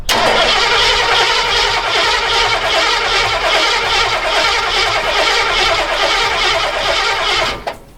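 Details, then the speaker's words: 1960s Ford Galaxie project, after priming oil pressure: catches and runs rough about seven seconds, then dies when start button released, as coil is only fed via the solenoid exciter wire while cranking. "It just got oil pressure and you heard it start to start. And that's because there actually is an exciter wire running to the coil from the solenoid. So that's why it tried to start. But as soon as I stopped pushing the start button, it died."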